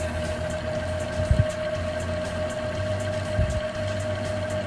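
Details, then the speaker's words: Panasonic AG-1970 VCR rewinding a VHS tape that stuck at one point: steady even mid-pitched whir with faint low motor hum, no catches; normal rewind, done to re-wind the tape evenly. "sounds like it's going on pretty evenly"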